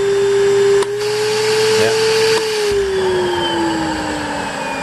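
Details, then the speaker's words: Panasonic Jet-Flow canister vacuum, highest power setting (rugs): steady high motor hum, soft puff then pitch eases as little suction relief valve blows and vacuum gauge swings over; working as designed. "when you get up to the highest one rugs with full power you're going to see the VAT gauge actually slide across to your left and you'll hear the little relief valve blow"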